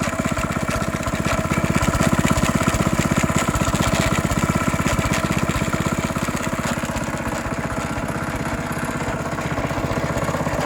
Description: 14 year old Honda gx160 started to rattle or grind inside.